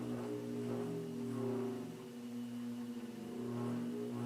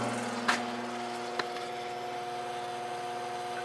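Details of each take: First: 1950s General Electric automatic reversible box fan, before cleaning, reversed and run up to high. Quiet even whir, steady motor hum growing as it reaches high speed; running healthy. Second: 1950s General Electric automatic reversible box fan motor, blade removed, run unloaded on high while measuring current; steady electric hum with thin high tone, no rubbing or knocking, spins freely; drawing more amps than it should, no evidence of overheating, cause unknown.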